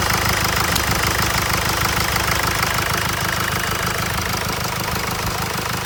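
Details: 2016 Mercedes E-Class with 654 diesel engine after repair of a strange knocking noise: steady, even idle with a fine regular clatter and no heavy knock, sounding healthy and smooth.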